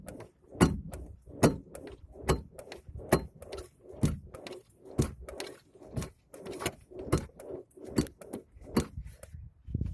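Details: 2009 ZAZ Chance 1.3 with power steering: heavy, separate dull clunks about once a second as the wheel is rocked; strong knock when turning. Steering rack boot is torn; owner suspects the rack, but the source is unconfirmed.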